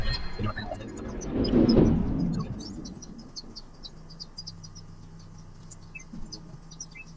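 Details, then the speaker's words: Samsung 253-litre 3-star convertible refrigerator: after handling noise a low, steady hum sets in and holds evenly, the humming a subscriber asked about; normal compressor running after startup. "I think यह first time start हुआ बहुत दिन दो-तीन दिन बाद इसलिए हो सकता है कोई और भी नहीं ए रहा है"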